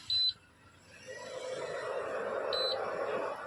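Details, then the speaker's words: Induction cooktop after replacing its cooling fan, which had a worn bushing: two short beeps, then a soft, even airy whoosh with no rattle, buzz or scrape. The new fan runs quietly. "आप सुन सकते हैं बिल्कुल इसमें से कोई भी sound नहीं आ रहा है"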